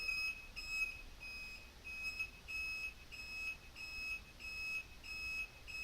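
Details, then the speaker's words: Bobber motorcycle, replacement blinker relay covered with electrical tape: high electronic beep about ninety times a minute with the blinker, muffled but still plainly audible; quieter than before taping, blinkers flashing properly. "not as quiet as I'd like it to be but a bit better and most importantly my blinkers are flashing"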